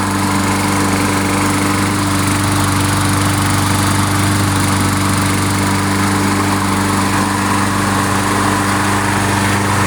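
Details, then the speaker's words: Briggs & Stratton 6.5 hp single-cylinder on Craftsman mulcher mower after tune-up with new spark plug and cleaned carburetor and jets: steady even run with strong low drone, no misses or knocks; normal running. "okay sounds pretty good sounds pretty good"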